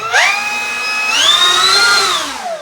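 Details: E-flite P-51D Mustang 1.2 m RC plane, electric motor and prop run-up before setting reverse thrust: clean whine rising quickly, holding a steady high pitch, then winding down smoothly, no rattle or wobble; motor and prop healthy and well balanced.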